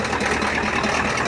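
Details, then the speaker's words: Cold Ford F350 diesel just started, uneven lumpy clattering idle instead of smooth running; it burns oil, oil pressure was low earlier, raw diesel smell, and the owner suspects a bad injector. "yeah I think actually it might just be a bad injector that's making it sound like that"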